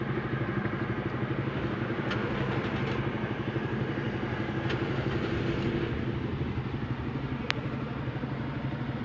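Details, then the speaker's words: Toyota Vios with new spark plugs, misfiring with fuel smell inside: idles low-rpm, shaky and lumpy with uneven exhaust beat from one dead cylinder; ignition coil checked. "nga mga boss nanginginig tsaka mababa Yung kanyang rbm so Check natin yung ignition quil muna"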